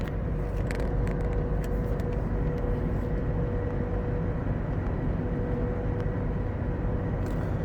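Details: Mud-terrain tires from a Suzuki Caribian, set of four nearly new, fitted on a Toyota Revo pickup: constant low roar and droning hum at about 80 km/h.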